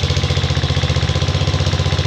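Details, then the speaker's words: 1950s Agricat mini dozer, rebuilt Briggs & Stratton model 23A single with coil/battery ignition and starter-generator, second start idling for break-in: even steady low thumping at fast idle, no knocks or misses; running cleanly. "got it running we're gonna start it up for the second time and this leave it idle so break in a little bit"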